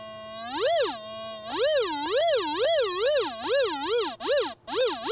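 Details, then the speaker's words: White's Goldmaster 24k gold detector with a double-D coil and audio boost 2, pinpointing a target: a pure tone sweeps up and down with each pass, peaking sharply and quickening over the target, a normal pinpoint response. "So I'm just listening for a nice, sharp sound like that."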